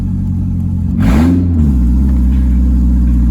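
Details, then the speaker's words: 1999 Mazda Miata NB, revved after sitting 8 years, with no exhaust fitted. It gives a loud, flat, quacking drone with no muffling at all. Open exhaust drone. "Sounds so goofy. Sounds like Daffy Duck."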